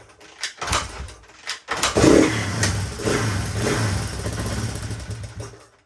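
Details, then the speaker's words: 1983 Honda XR200R after years of sitting, fresh oil, kick-started: catches after a few kicks and settles into a steady quiet idle with no cam chain slap or valve tick; healthy. "Wow, that easy. Leave it idle. Crazy. That engine sounds pretty quiet too. Not hearing the cam chain flopping around or valve."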